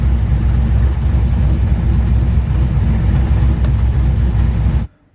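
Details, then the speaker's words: 416ci LS stroker, fully warmed up, during idle tuning. A deep, steady V8 idle hanging slightly high with the idle air park position at about 74–75%, which is being lowered: high idle. "Bringing our park position down a little bit cuz you can hear it's it's hanging a whisker high, which isn't necessarily a bad thing, right?"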